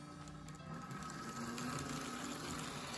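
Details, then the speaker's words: 1980s Athearn Blue Box Trainmaster FM H-24-66 model locomotive, about 40 years old, before restoration, running forward at low controller throttle: low quiet steady hum with faint higher whine; motor sounds healthy. "so just starting off in forwards slowly turn up on the controller you can hear a hum from It there"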